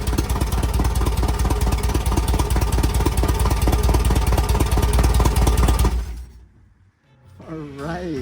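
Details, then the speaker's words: 1967 VW Type 3 Squareback engine just installed, first start with starter fluid after points gapped and condenser fitted, exhaust not fitted; loud even chuffing, steady beat for six seconds then shut off, started right up, normal running. "it started right up so the points and condenser did work we have sparked everything seemed like it was okay except the exhaust"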